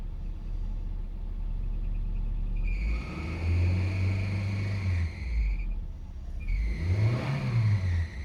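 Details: 2002 Nissan Frontier revving after EGR pathway cleaning fixed P0300/P0302 misfire, codes cleared and engine now running well; chirpy high squeal rising and falling with revs from a loose accessory belt needing tightening.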